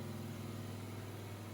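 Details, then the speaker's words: Chevy LT1-style 383 on the engine dyno, quiet street cam, unported LT4 heads, light roughly 20 ft-lb water-brake load for ring seating: smooth, steady low hum with no ticking or clatter; valvetrain quiet, no loose rockers. "you can hear if there's rockers loose or how the valvetrain is it's not it pretty quiet"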